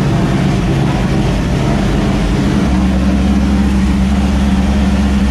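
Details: 1999 Mustang GT (SN95) freshly swapped to a new 5.0 Coyote V8, first start, no mufflers, JLT cold air intake, untuned: loud deep burbling V8, idle a bit lumpy and uneven. Owner suspects intake airflow upsetting the computer; needs tuning.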